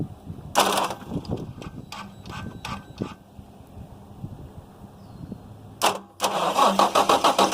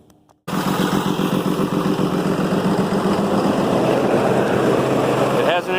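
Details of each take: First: 6.7 Cummins diesel, high 200,000 miles, after tear-down and repair, started with screwdrivers: clicks, crank, catches at about six seconds, smooth even clatter with no misses; good oil pressure to the top. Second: 6.7 Cummins after freeing a valve bridge that was jammed on the intake valves: the noise is gone, but it runs with an uneven, stumbling beat with a cylinder dropping out now and then. Misfire.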